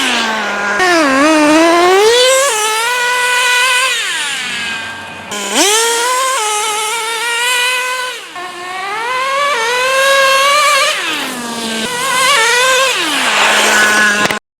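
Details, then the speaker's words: Traxxas T-Maxx 3.3 nitro engine running in cold, snowy weather after sitting 8+ years, carburetor richened slightly for the cold: high, buzzy note rises and falls cleanly through repeated throttle blips, pulling strong with no misfire or sag; healthy. "as you just saw the truck ran great we just got done burning through a whole tank of fuel all I had to do was just rich in the carburetor just a tiny bit since it's so cold out but uh this thing ran awesome"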